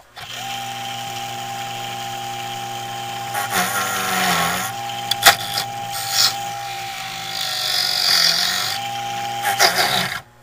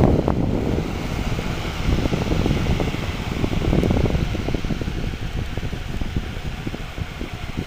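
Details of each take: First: 1980s Black and Decker heater converted to fan, motor on light dimmer: thin steady whine over the fan hum holding pitch as speed changes; owner suspects dry motor bearings needing oil. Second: 1980s Black and Decker heater converted to a fan, heater elements removed: soft even rush of air over low motor hum at steady speed, no rattle or scrape; fan running normally.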